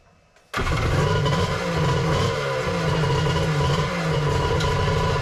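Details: 1100 triple X2 personal watercraft on its first fire-up with plugs installed: the engine catches at once and settles into a steady, crisp two-stroke burble with even firing and no misses or knocks.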